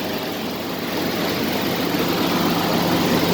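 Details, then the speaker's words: Toyota 4Runner (2nd gen) 3.0 3VZ-E V6 after fitting a GM CS144 alternator upgrade, EGR removed: smooth even idle with a soft steady whirr and no squeal, chirp or knock; the alternator spins true and works correctly. "So, spinning true, functioning correctly, so you're good there."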